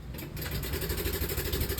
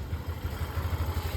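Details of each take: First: Yamaha NMAX version 2 scooter at start-up, brought in by van unridden: loud, steady harsh metallic clatter like metal slapping. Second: Yamaha NMAX version 2 after repair: even, steady idle thumping with no tapping or rattle; only the tensioner replaced, plus CKP sensor and wiring done for a check-engine light.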